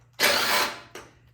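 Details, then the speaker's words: Troy-Bilt Storm 2410 snow blower, full choke, primed, push-button start: engine catches with a loud burst for half a second then fades with a weak cough; carburetor gummed, fixed by cleaning the carburetor. "and then once you prime it push the start button all right well it starts it just doesn't stay running"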